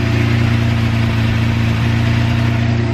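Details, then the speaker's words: Manual Lamborghini Murcielago V12, first cold start after a 3-month engine-out rebuild with new hoses, seals, wires and fluids. Deep, steady idle around 985 rpm with an even rumble and no misses, knocks or ticks. Normal cold idle. "running real smooth. It actually is kind of cool with the exhaust shooting straight down. What's it idling at? About 985 RPM. Is that normal for it?"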